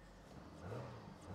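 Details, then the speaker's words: Holden VU-VY Commodore naturally aspirated Ecotec V6 running after flash-writing the HO calibration to the ECU, switched fully off and restarted; quiet smooth hum swells slightly with a light blip and settles, no stumble; normal running. "as you can hear car is running fine now because we disabled the"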